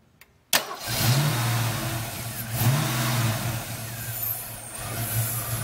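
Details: Ford 302 V8 running rough after upper intake removal and valve cover replacement (ran fine before reassembly): engine catches and settles into a lumpy, uneven idle with a wavering beat and deep pulses; cause unknown.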